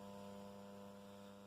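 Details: Condor RM820S radio-cassette recorder brought back to life: a constant low buzz at steady pitch through the speaker.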